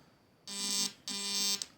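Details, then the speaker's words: PWM motor speed-control module driving an ignition coil: two harsh half-second buzzing bursts as the spark's RF interference breaks into nearby computer speakers. "I'm not sure if you even can see an arc, but you can hear in the background it's making RF interference with my computer speakers, although this is the lowest setting, which is really weak."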